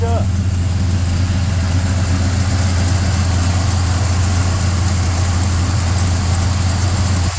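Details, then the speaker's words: 1967 GMC Suburban, 402 Chevy big block, carburetor without choke, new HEI, cold start around 48–50°F: deep V8 idle sitting a bit fast and even; high idle sticking up, needs attention. "This doesn't have a choke. I've been having an issue with the high idle sticking up a little bit. Definitely needs a little love there."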